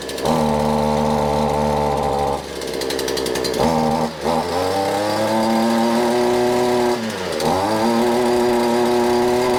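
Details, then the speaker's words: Cold two-stroke weed eater just started on full choke after priming; buzzy note sags and drops off when throttled, then slowly recovers; bogging because not warmed up, possibly fuel but most likely cold. "this point you need to let these warm up if you don't want to warm up they're going to bug which is what you saw fogging is not good it means it's uh could be a fuel problem but majority time it's because it's cold"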